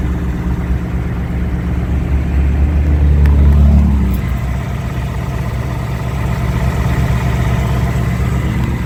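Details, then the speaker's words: 2018-2019 Mustang checked for returning engine tick three months after oil change to 5W30 full synthetic plus additive: steady, even idle with a brief blip and no ticking; normal idle. "let's listen to it see if we hear a tick got the wheels back that's nice who are gonna clean them though they're so dirty so far the car sounds really good no ticks so far"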